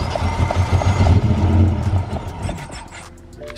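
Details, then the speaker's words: BMW M5 cranking after a new sensor is fitted: steady starter churning, engine nearly firing and surging briefly but never catching; no-start, cause unclear, later scan shows two transmission codes. "sounds like it's just right there i know it sounds like it wants to but i'm going to give another crank"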